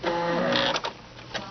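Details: Baby Lock sewing machine with a snap-on fringe looping foot at stitch width seven: a brief steady motor hum with light, even stitch ticking that winds down; smooth and healthy.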